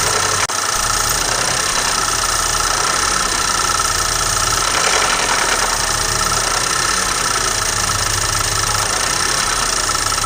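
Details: BMW N20 engine at steady idle with a light, fast ticking knock that never lets up; cause cannot be pinned down by ear.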